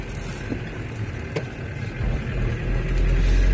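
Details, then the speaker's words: Camper van road test after failed wheel bearings, starting in first gear at low speed: steady engine drone rising with road speed, no metallic scraping or grinding from the wheels; it drives smoothly. "bon bien sûr on a un bruit de moteur ça on va pas se le cacher il fait du bruit il y a pas de bruit de métal"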